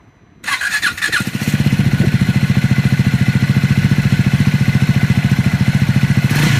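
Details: Triumph Scrambler 400 X / Speed 400 single starting and running: fast even thump with a light mechanical clatter on every beat; abnormal engine noise, cause unknown.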